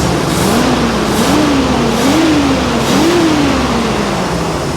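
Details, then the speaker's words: 1975 Bricklin SV-1 V8 during tune-up, temp gun showing three dead cylinders: uneven, stumbling, popping idle that smooths when revved; misfiring, owner suspects a dirty or unhappy carburetor, cause not confirmed. "seems like it doesn't want to idle but then it picks up when you rev it carburator is unhappy or something"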